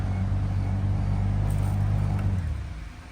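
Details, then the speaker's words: 2014 Toyota Venza with heat on, blower running; steady low droning hum with buzzy vibration felt, dying as fan stops; blower motor hum, suspected failing blower. "if you guys can hear that humming noise that's what that is here let me shut it off here turn it on and I can physically feel it vibrating so"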